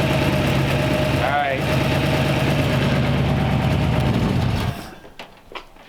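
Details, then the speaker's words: Small-block Chevy V8 in a 1934 Ford Tudor, first start after 50 years in storage, fed by a nurse tank direct to the carb: a deep burble holding a fairly steady lope with smoke, idling cleanly. "but it's sitting there idling we're just gonna be myself bumper right now [Applause] and it's awesome oh yeah that's smoke that's all right sounds good"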